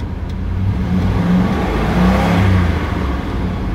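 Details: Ford Expedition after replacing leaking fuel pressure regulator (was pulling fuel into intake vacuum, causing hard start, rough idle, low power, black smoke) and new spark plugs: catches and revs smoothly, settles evenly with no misses or knocks.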